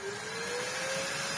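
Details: Large Electrolux vacuum with a paper bag fitted: a smooth, steady motor whine creeping slightly higher with even airflow and no rattles. Healthy running.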